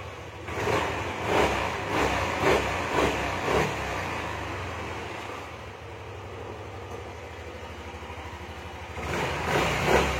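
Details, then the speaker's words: Yamaha Aerox 155 with code 46 cleared and engine light off: a few clean quick revs, quiet steady idle, revs freely again; engine sounds smooth and healthy. "suara mesin adem ya"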